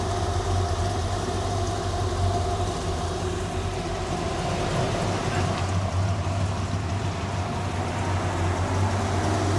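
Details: 1957 Chevy V8 idling smoothly after roadside repair during Hot Rod Power Tour breakdown: steady low rumble with faint fan hiss, heater on; running normally.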